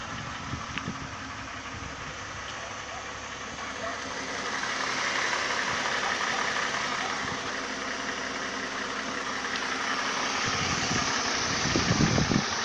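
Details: Mercedes OM272 engine at steady idle with a fairly regular tapping of about four knocks a second over the engine note; engine knock of unconfirmed cause.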